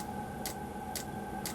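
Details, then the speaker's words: 12V diesel heater with a 24V dosing pump bodged to work: after self-check, sharp even ticks about twice a second over a steady heater hum as it fires up; normal fuel dosing pump ticking. "it's going from self-checking to well the pump the pump is now bumping you can hear the pump pumping bumpers pumping should fire up there it goes it has fired up"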